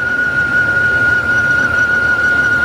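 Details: 2000 Dodge Ram Van B1500 with code P0505 (idle control system malfunction), recorded at the front of the van at idle: a constant high-pitched whistle sits over a quiet idle without changing, air sucked through a cracked vacuum hose (vacuum leak).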